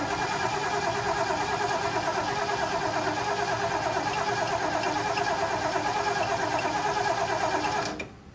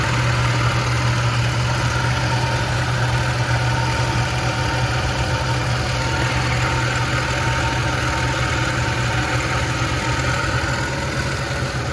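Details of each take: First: Ford 460 big block in a 1976 Lincoln Continental, 41,000 original miles, starter just freed by tapping: starter spins the engine evenly at about three turns a second for eight seconds without catching; cranks fine but no fuel. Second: 1976 Lincoln Continental 460 big-block V8 with 41,000 original miles, idling: deep, steady, even low burble with no misfire or tapping; normal, settled, healthy idle.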